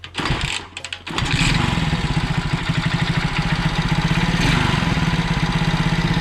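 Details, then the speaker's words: Alfa 110 moped, reassembled after a valve-like knock. Fires after a couple of cranks into a steady, even putter with no knock. Mechanic says a new cylinder, replacing the worn one with a rocking piston, would make it quieter still. "Если поменять цилиндр, если поменять цилиндр на хороший, там вынос очень большой, и поршень сильно болтается вот вверху, вот как раз где кольца, то работал бы ещё тише."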